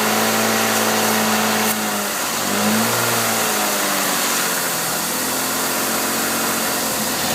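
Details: Exhaust leak at the headers found using Seafoam; headers to be replaced. Idle with a sharp raspy hiss and puffing that grows and falls with the revs.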